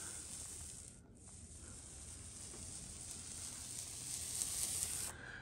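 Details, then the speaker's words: Paint roller properly loaded while painting a French door makes a steady, even sizzling hiss with no rattling or bumpiness; bumpiness would mean rolling over a dry part of the roller and give an uneven finish. "you hear how there's no rattling or bumpiness you know what that bumpiness is it's going over the dry part of the roller and so it makes a certain sound"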